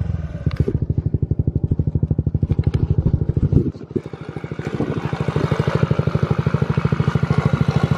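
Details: 2022 Honda Ruckus with 9.5-inch stretch and stage 2 performance kit, after install: small single thumps steadily about three firings a second with faint gurgle from the breathing decompression tube, which stops when its outlet is covered; normal running.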